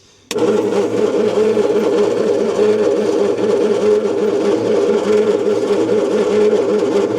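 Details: 1972 Bedford J series truck petrol engine with spark, long sitting: steady rhythmic cranking with even compression pulses that never catch; cranks but won't start, timing later found way out on distributor.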